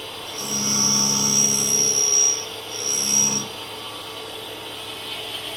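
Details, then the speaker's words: A tool-cutter grinding wheel is forming the flats on an HSS spade drill with about 1.5 thou infeed. Two short bursts of thin high hiss sound over a steady motor hum. The wheel is barely cutting and removes little material. "So, as you can hear, it's engaging the wheel a bit, but it's just not taking a lot of material off."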